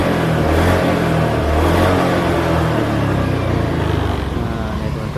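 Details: Honda Beat scooter that only clicked on the starter and would not start with MIL code 52 (CKP sensor), after its wiring was repaired: picks up cleanly on the throttle and drops back smoothly, no misses or rattles; MIL off; normal revving.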